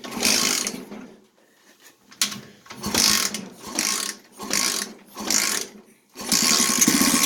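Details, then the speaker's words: Yerf-Dog kart with swapped 125cc engine, kick-started with the carb still dirty and leaking fuel, idle screw never adjusted and being set now. Surges in uneven bursts about once a second, nearly stalling between; rough, unsettled idle. "come on Jess the idle screw I never adjusted the idle grab the screwdriver never"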